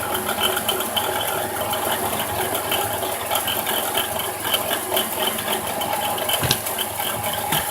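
Steady idle with a dry rattling chatter and a thin grinding hiss riding on top, consistent with a worn alternator bearing.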